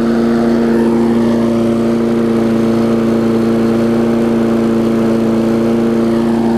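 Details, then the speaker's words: Craftsman 22-inch big-wheel push mower, Briggs classic single-cylinder engine, 2008 model, just started after safety cable repair: steady, high, even drone above normal governed speed; overspeed from governor springs hooked into the wrong carb linkage holes. "as much gas, but cranked up, running pretty good. Might run a little fast,"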